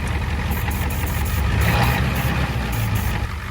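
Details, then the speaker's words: 1989 Ford F250 7.3 IDI diesel after fitting used injectors from a '91 parts truck: clatters at a raised, slightly uneven idle that won't settle; less smoke and misfire than before at 2,000 rpm, but owner thinks it's unhappy. "Just doesn't go down to idle. Seems to be working better. I don't know. I don't think she's happy."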